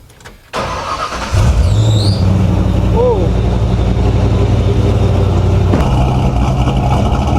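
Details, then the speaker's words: SN95 Mustang drift build fired up again after its first start, exhaust not fully bolted up, no coolant yet: cranks briefly, catches, then settles into a loud, steady open-exhaust idle rumble, even with no misses or knocks; normal idle. "Fire it up one more time so we can do some cinematic shots while the engine's running and the exhaust is chooching."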